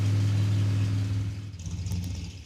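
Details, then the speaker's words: '56 Chevy with 500-hp small block on a cold drag strip, 3,000 rpm launch: deep V8 rumble pulls strongly then bogs and dies within seconds; ignition shutting off mid-run, cause unknown. "Dude, not bad. It turned off though, didn't it? It shut off. Damn."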